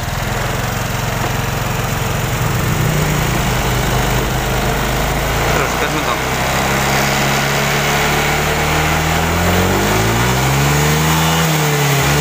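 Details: Honda Vario 125 fuel-injected scooter after repair of bogging at high rpm: steady buzz, then revs climb and fall cleanly with no stumble; now running normally, healthy free revving.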